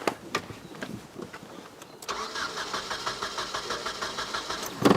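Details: 1996 Nissan 2.4 no-start: a few clicks, then starter cranks steadily about three beats a second without catching; no spark though coil control pulses are present, traced to a bad ignition coil.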